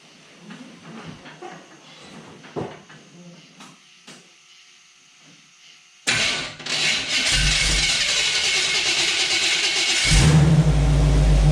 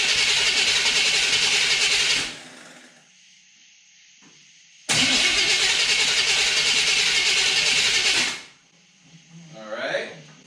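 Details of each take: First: Small-block Chevy V8 in a Jeep YJ, just after sorting fuel delivery to the mechanical fuel pump: engine catches, settles into a strong steady idle and revs up cleanly. Normal start and rev, sounds healthy. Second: Small-block Chevy in a Jeep YJ with newly installed starter: two even, fast two-second cranks that never catch; fuel filter found completely dry, no fuel delivery.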